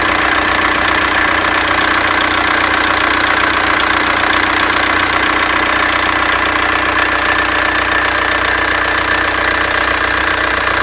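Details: Seat Córdoba idling steadily with a fast chirpy ticking of about 2.5 per second; the owner suspects the alternator belt, cause unconfirmed.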